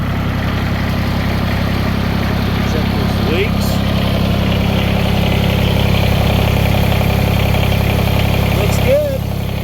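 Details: Kubota BX2360 4x4 diesel tractor just after DIY fuel filter replacement: even diesel clatter at steady low idle, no misses, hunting or odd knocks; idling normally, no leaks.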